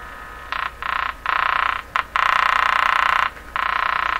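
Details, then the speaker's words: Canadian General Electric JK-53 three-band tube radio on low 65 V supply during checkout, antenna wire touched. Raspy stop-start buzz, interference the owner believes is picked up by the radio rather than generated inside. "now that noise you hear you know what a lot of radios make that sound in my shop and I'm always asking myself if Jesus is coming out of the radio or is it being picked up by the radio"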